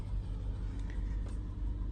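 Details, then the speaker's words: Lexus RX350 (2016–2018 system) warming up at slightly raised cold idle; even, smooth rumble with no knocks or misses, airflow sensor reading falling from 7 toward 6 as temperature rises. Normal fast cold idle. "गाड़ी अभी जो है थोड़ी सी मतलब कि आरपीएम इसका ज़्यादा है, गाड़ी ठंडी है इस वजह से आरपीएम ज़्यादा है। जैसे जैसे गर्म होती जाएगी तो आरपीएम इसका डाउन होता जाएगा।"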